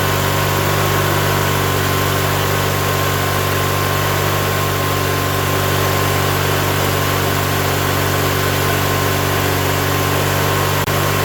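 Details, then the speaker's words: Coleman Powermate 7000 (PM45 7022) commercial generator, 18 HP twin-cylinder L-head, 3600 rpm, 120/240 V, 7000 W; used non-running unit after carb cleaning and fuel filter, primed with gas down carb, running on choke: steady, even low drone, no misses or knocks; normal running. "All right, I don't think we're primed up yet, but it's good to hear it running. We'll give it a little more gas. Give it some choke."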